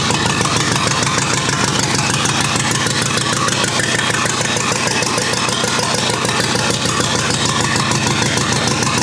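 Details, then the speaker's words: Rebuilt U23 engine, first start after 25 years, idle mixture screw about two turns out: chugs at a fast, uneven beat with ragged firing and no steady idle; carburetor not supplying enough fuel at idle. "i still need to work a bit on the cobra to make sure that it has sufficient gas on idle because it doesn't for the moment"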